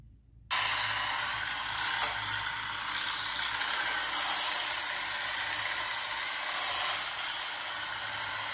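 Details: Roomba s9 robot vacuum on carpet: harsh, rasping grind with uneven ratcheting chatter from the cleaning head, which also moves poorly; caused by a bent cleaning head module housing.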